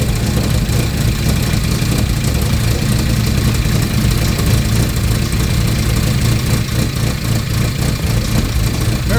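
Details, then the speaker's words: 1992 Mazda Miata NA 1.6L, long sat, first start on a new ECU after setting ignition timing at the pulley mark. Low, lumpy idle with uneven beats and no steady rhythm; runs very rough, burning fuel, cause not found. "It's not running right at all."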